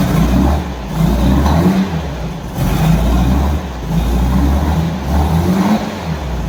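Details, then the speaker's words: 1964 Volkswagen Beetle four-cylinder, first start with oil pressure light initially on: low uneven idle surging and sagging about once a second, lumpy, owner unsure it runs on all four cylinders. "but it really doesn't sound happy um I'm not even sure if it's running on all four cylinders because it sounds quite lumpy"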